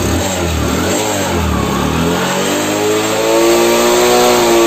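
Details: Bajaj Discover engine after half-engine rebuild (piston rings, valves, timing chain, clutch plates) for white smoke and oil burning: single-cylinder note climbs smoothly with steady firing, no knocks; oily silencer still clearing. Normal revving.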